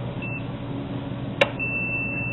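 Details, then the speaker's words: Dell server power supply on multimeter continuity: brief chirp, probe click, then steady tone; DC output post bonded to earth-grounded case, a problem for running two supplies in series. "you have the case is grounded it's Earth ground for safety purposes but also the DC post is Earth grounded"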